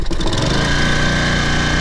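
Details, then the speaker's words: Toro Personal Pace 20333 mower, first start after fitting an aftermarket carburetor, correct governor shoulder bolt and governor fan fix: catches within a quarter second and settles to a steady, even single-cylinder idle, still a little noisy. "There we go. That sounds better right away. Still a little bit noisy."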